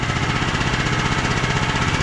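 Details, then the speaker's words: ETQ TG72K12 portable generator, about 14-15 years old, running to test rectifier: fast, even, regular beat at constant speed, no misfires or hunting; battery about 13 V, rectifier fine; owner suspects starter solenoid; normal running. "so we'll start back up and we'll check and see if our rectifier is having an impact on our battery"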